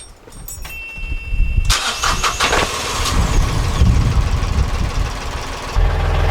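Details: Narrowboat marine diesel after its failed electric fuel pump was replaced: a short crank, then it catches and settles into a steady, even low idle with no misses or knocks; normal start and idle.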